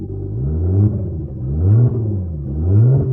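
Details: Lexus IS200 wagon after engine swap with turbo work, new lightweight flywheel and clutch, first start-up with hot exhaust and no engine warning light: revs climb and drop back about once a second, pulling smoothly and evenly with no knocks or misses; healthy running.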